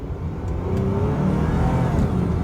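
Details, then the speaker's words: Lexus revived after electrical repairs, first drive with the hood open: engine pulls steadily at part to about half throttle, shifting smoothly through gears while warming up, revs climbing evenly without misses or knocks; healthy acceleration. "i don't know how many gears this thing has but it shifts and i left the hood open hang on hang on man this thing runs good"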